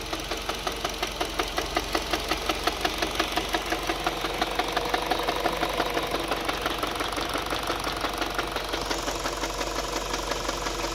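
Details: 2011 Mini Cooper just past 100,000 miles, full synthetic oil, mostly highway driving: sharp regular knock about three per second over steady idle, louder than the engine note and worse after two more miles; possible rod knock, unconfirmed.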